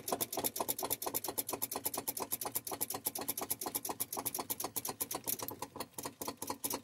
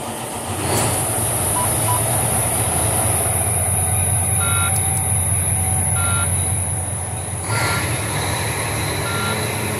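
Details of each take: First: Volvo VNL with Cummins ISX: quick dry starter clicking, roughly eight a second, with no cranking; battery voltage present, starter suspected failing. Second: Volvo VNL truck with Cummins ISX diesel after fitting a new starter, replacing one that only clicked: engine catches at once and settles into a steady, even idle, thin whistle as air pressure builds; healthy start.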